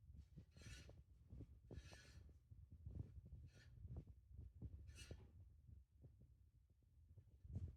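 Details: Hunter fan running with a low soft thump about twice a second over faint hum and brief scraping squeaks; abnormal rhythmic noise, cause unknown.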